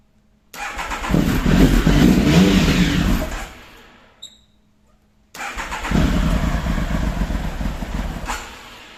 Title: triumph tiger won't start